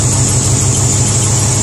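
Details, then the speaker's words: IH 345 V8 in International Harvester 1210 pickup, warming up after sitting a decade and pushrod replacement: thin steady high squeal over an even idle, pitch unchanging; owner first suspects water pump, then alternator, not confirmed. "temperatures starting to come up also got something starting to squeal so imagine [Music] here's a squeaking imagine the water pump is probably"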